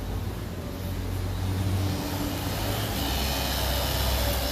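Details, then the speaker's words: 2011 BMW 535i with reduced power, idling during a Valvetronic learning relearn of 450 cycles: the low hum swells and settles in an expected idle surge. "and the engine is surging you can hear it there's how many cycles it's doing and it's got to go to 450."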